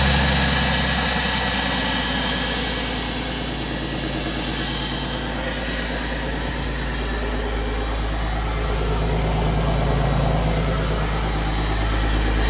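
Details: 2001 Porsche Boxster 986 after fuel pump replacement (old pump gave about 20 psi, causing rough idle or no start): steady even idle, smooth low hum, regular firing pulses, no misses or ticking; engine idles cleanly.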